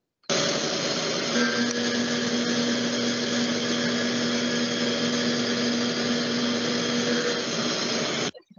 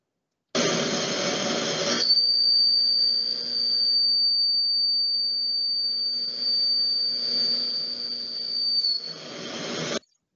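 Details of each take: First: Milling a slot with a short tool: steady, even cut with a low hum and no chatter whistle, unlike the long tool, which whistles from vibration. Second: Milling the same slot with an extra-long end mill instead of a short one; piercing, steady high whistle over the cut is chatter from the long tool vibrating.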